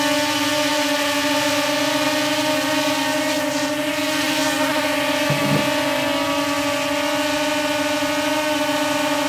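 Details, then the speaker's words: DJI Mavic Air hovering on Master Airscrew stealth propellers: a smooth, steady hum, much quieter and lower-pitched than with stock propellers. Normal hover, though slight shaking was noticed. "All right, so definitely much quieter and also much lower pitch. So, not quite as annoying as it normally is with the stock propellers."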